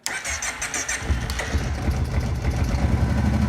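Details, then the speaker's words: Kawasaki Prairie 700 V-twin starting cold: cranks, catches and settles into a lumpy idle with a light ticking rattle from the primary clutch, not the quiet engine. "that clutch ticking this engine is really really quiet without the clutch covers without the main clutch on it so that's the tick to it you hear the little bit of rattle royal knocking is the clutch"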